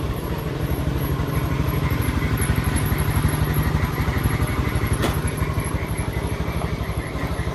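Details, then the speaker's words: Honda Beat scooter with CKP-sensor starter, after repair fixing clicking starter and MIL code 52; starts promptly into a smooth, even putter about three beats a second, no clatter or misses, healthy idle. "Iya sekarang Coba tes hidupkan kita kontak Iya jadi udah hidup tu"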